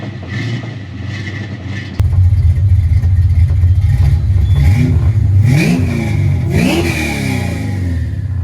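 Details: 1988 Ford Mustang LX 306 V8, cold, after a new oxygen sensor: lumpy idle, uneven revs on throttle blips, irregular pops and stumbles, popping back through the intake, running rich. Owner suspects a bad coolant temp sensor.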